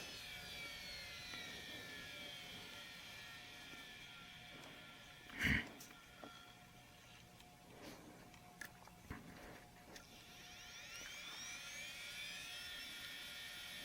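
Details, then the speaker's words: Power Macintosh 6500/275 Quantum Fireball hard disk, dead spindle after storage, revived by smacking it on the floor (head possibly stuck): faint whine sweeps up into steady hum with soft clicks, spinning normally again. "that is awesome I just smacked it on the floor real hard it started working again"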